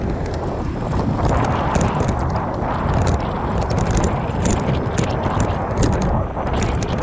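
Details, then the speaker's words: Aipas A2 Elite bike riding over bumps: scattered sharp metal-to-metal clanks from the front fork, which leaks grease and has no cushion or rebound. Wheel and rotor already tightened, stem checked; worn fork suspected, not confirmed. "And obviously because all the grease is out of it now, and it's just metal to metal and clanging."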